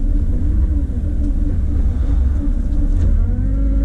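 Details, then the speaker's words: 2003 Mitsubishi Evo 8 turbo with new exhaust manifold: when coming to a stop, idle sags as low as 500 rpm then bumps back up to about 1100; intermittent and hard to replicate, cause not found. "and then it bumps back up it went down as low as 500 RPMs right there which is really really crappy see sometimes it does it and sometimes it doesn't and I can't replicate it"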